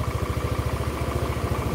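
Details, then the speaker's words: Older Honda Beat scooter with rough sound, smoke and oil consumption, run after the smoking repair. The CVT and front of the engine are smooth, but an even, rapid dull tapping comes from the middle of the engine, a connecting-rod knock. "suara di area CVT dan mesin depan halus cuma suara mesin tengahnya ada suara otok-otok"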